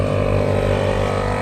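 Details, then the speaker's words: 80 Series Landcruiser air locker with the front locker engaged, after oiling the leaking plunger: the small compressor gives a loud steady buzzing drone, cycling slightly. A small leak is still audible but far less than before. "The compressor cycles just that little bit. And I can still hear it leaking, but not even nearly as much as what it was."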